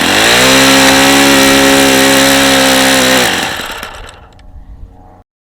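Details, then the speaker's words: Vintage Saito FA-45 ringless four-stroke model engine, two-piece head, about 1983, strong compression, on test stand: screams at steady high revs with harsh, raspy edge from really bad worn crankshaft bearings. "now yeah the bearings are really really bad on this engine really bad you can hear how bad those bearings are this engine is not in great shape"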